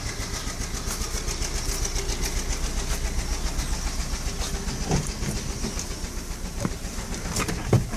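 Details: VW Fox Prime 1.6, 11,000 km, six months old, after dealer work blamed on spark plugs: running with fast uneven ticking over idle and a few sharper knocks; abnormal engine noise, cause uncertain.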